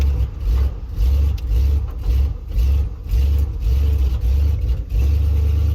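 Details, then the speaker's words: Ford F100 bumpside with a 390 FE V8, driven up a hill under load after new points, plugs, condenser and coil made no difference: uneven surging and sagging about twice a second that sounds like fuel delivery but comes from a failed distributor vacuum-advance diaphragm. "now for all the world it sounds like it could be a fuel delivery problem which it's not"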